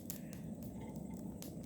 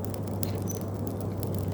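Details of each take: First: Small demo coal forge at temperature: sharp irregular pops and snaps, about five in two seconds, with bits flying out, over a low steady fire roar; moisture trapped from ambient humidity in open-air stored coal popping. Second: Coal forge with hand-crank blower spun up to speed: steady low rushing roar, the fire's "breathing" sound, over scattered coal crackles; normal forge air draw with the right amount of air.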